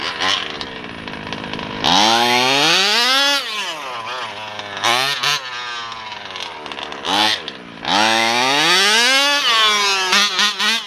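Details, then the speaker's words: Losi DBXL 2.0 with a Taylor RC 35cc engine and OBR 1254 carburetor: on repeated throttle runs the revs climb slowly through the low end, then pick up and scream past half throttle; top end good, bottom end needs adjusting. "It's just that bottom end, it's kind of slow in the bottom end, but you can hear it when the RPMs, when I get over half throttle, it picks up."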